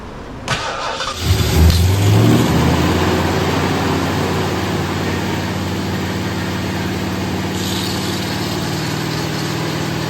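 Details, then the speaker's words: First start of a rebuilt Ford 460 V8 in a 1975 Lincoln Continental, distributor earlier installed 180° off and fixed: short crank, quick catch, brief flare, then steady even idle; normal start and idle before an oil filter seal blew. "I did get to hear it run it sounded good but yeah we're going to be tearing back into it"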